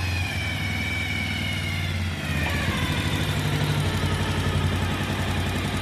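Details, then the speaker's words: Single-cylinder motorcycle with head noise complaint, after partly tightening the bolt fixing an air leak: steady, even idle with top-end rattle gone, faint tick remaining at the head, expected to go with tensioner replacement; normal idle. "Okay, பார்த்தீங்கன்னா தெரியும் உங்களுக்கு சவுண்ட் வந்து சுத்தமாக அரெஸ்ட் ஆகிடுச்சு. ஆனால் லைட்டாக மானிட்டாக இருக்குது."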